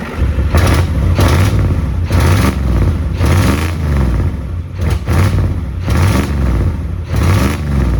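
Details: 1994 Ford F-250 IDI diesel, extended cab, first start after sitting abandoned for years: heavy clatter with loud raw exhaust puffing swelling and fading; huge exhaust manifold leak, suspected cracked manifold on one side, later found with a chunk missing; good oil pressure.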